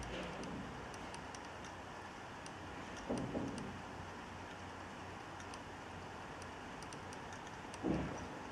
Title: Clicking noise (HDD from Dealextreme) video 2